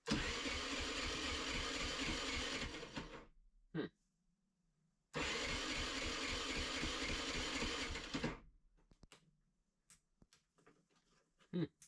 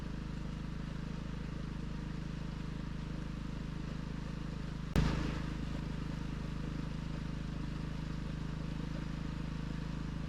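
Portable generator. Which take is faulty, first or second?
first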